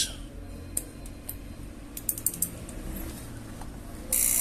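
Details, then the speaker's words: Samsung microwave keypad board with the door switch being tested: irregular rapid clicking and rattling from the small relay, which tries to engage but can't hold; a dried-out, weak supply capacitor is the cause. "bueno entonces este reloj hace así el ruido por como que quiere trabajar y como que no"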